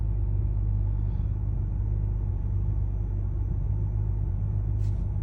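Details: 2011 BMW 335i E90 with N55 engine idling rough and uneven on cold start, stalling when very cold, runs fine once warm; check engine light on, mechanic blames the high pressure fuel pump, owner unsure.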